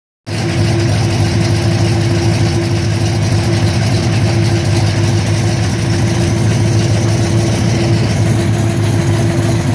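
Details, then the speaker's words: 1967 Corvette with a 427 V8 at idle, noise that began on the last drive home: lumpy idle with a dull uneven knock under the rumble, seeming to come from the bottom end; owner plans to pull and go through the engine. "the last drive i took that 427 out on on the way home it started making some noise it sounds like from the bottom end"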